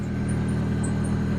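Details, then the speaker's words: 1994 Toyota Celica, manual, 306,000 miles, idling just after start-up: short high belt chirps every fraction of a second, much louder when the steering wheel is turned and stopping when straightened; owner suspects a bad power steering pump. "Hear the squeaking."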